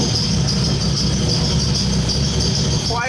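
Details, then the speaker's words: Honda K24 engine swapped into a BMW E30 with stock cams, idling: uneven, lumpy idle that stumbles and never settles; wideband shows it running very rich at 0.7 lambda, base ignition timing not yet set; wideband fix hoped, cause unconfirmed. "so you guys can hopefully hear just still the rough idle I'm hoping that this wideband sensor is able to actually fix that"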